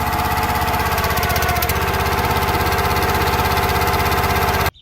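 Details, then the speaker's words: Kohler SH265 6.5HP engine on CountyLine 25-ton log splitter, just started on choke after fresh AMSOIL 10W-30 synthetic oil change: quick, steady, crisp exhaust pulses with no misses or knocks; normal running, described as a purr. "There we go. Listen to that purr."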